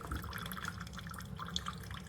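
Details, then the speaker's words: Chefman single-serve drip coffee maker (K-Cup and ground compatible) brewing after warming up: soft, irregular dripping and trickling over a low steady hum, quieter than a Mr. Coffee; normal brewing. "Well, it definitely smells good. It's quiet."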